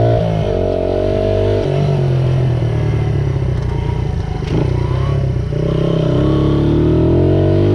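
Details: 1978 Honda XR75 single, restored, after correcting an adjustment to the manual's position: revs cleanly through the gears while riding, crisp and even, no misses; normal running.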